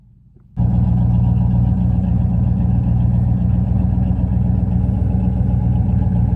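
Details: 1970 Pontiac LeMans Sport, 400 V8, four-speed manual, K&N intake, just started and burning condensation from the pipes: loud, lumpy idle with uneven exhaust popping. Owner suspects a leak at the exhaust manifold gaskets needing replacement.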